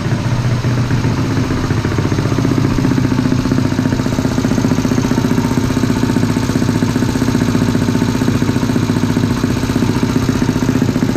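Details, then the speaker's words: 212cc engine in a CT70, warmed up, valves adjusted many times; idles with a fast, busy mechanical clatter over the exhaust beat, noise from inside the motor, source unclear, owner says these engines are typically noisy; engine mechanical noise. "I don't know what it is about the 190s and the 212s, but they're noisy. It just sounds like there's noise coming from the motor."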